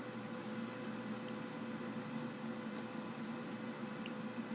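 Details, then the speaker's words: Dell Optiplex 760 with failing PFC power supply, heard as the unit is switched off: steady, piercing high-pitched whine over faint hiss; bad PSU coil whine, no bulged capacitors visible, PSU replaced. "One more quick listen as I turn the unit off. Wow, that's high pitched and it hurts."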